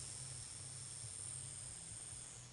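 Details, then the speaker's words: Dirt bike LED light fed through a bridge rectifier gives a quiet, steady low buzz and flickers because the rectified current is not filtered. "yeah so that's the buzzing noise why even though this current is rectified right now is not filtered"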